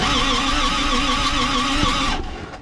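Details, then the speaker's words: 1962 Cadillac, first crank in 40 years after starter install, rewiring and freeing stuck valves: steady whirring starter crank, then a sharp crack near the end and the spin dies away. Something broke while cranking, cause not yet known. "I thought I heard something it just sort of broke"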